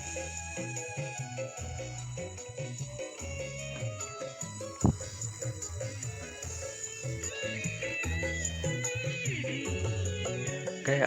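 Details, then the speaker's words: Active speaker after repair (139/140 transistors replaced with DP 4142, burnt 330 ohm resistor and cracked final transistors replaced, rails about ±20 V DC): music clean and full, steady bass, no crackle, hum or distortion; output stage normal. "Alhamdulillah suaranya normal ya Alhamdulillah caranya normal"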